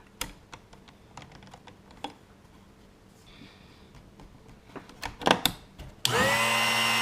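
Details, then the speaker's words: Drill Doctor sharpening a 1/2 inch (13 mm) cobalt drill bit after the depth is adjusted in the jaws to stop a bad noise: a few taps, then a steady, even grinding whir with no strain; normal sharpening grind. "So that's the noise that we want to hear. You'll notice that the ears on this are what sets that depth, and it should only grind till about right here, or halfway up, or right in the middle at the peak."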